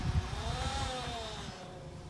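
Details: 2013 Jeep Patriot with JF011E CVT, low miles, reportedly slipping: loud steady tonal whine over the engine, rising slightly then easing, before a fluid and filter service fixed it.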